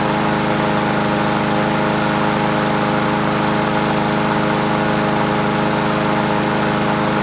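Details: Husqvarna 7021P push mower, Honda GCV160 petrol engine, unused two years, original carburetor cleaned, restarted: steady even single-cylinder buzz with clean note and no stumbles; runs healthy.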